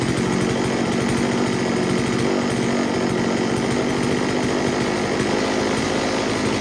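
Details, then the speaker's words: STIHL Wood Boss 024 AV chainsaw, previously flooded with a wet plug, now starting right up: steady, even high-pitched buzz at constant revs, no stumbles or surging; tune nearly spot on, running just slightly rich; healthy. "okay well i talked to the customer and explained to him that i got the saw to start right up and the tune was pretty much spot on it was running just a tad bit a little rich nothing too crazy"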